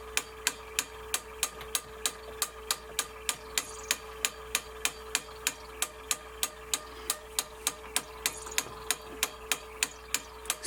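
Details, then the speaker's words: Sony MDP-333 laser disc player, spindle works but the laser sled pushes the wrong direction: sharp light clicks repeat about three times a second over a faint hum. Owner wonders if the sled is stuck; cause unknown. "I do not understand why it's doing this why it's moving wrong direction I do not understand is it stuck or something"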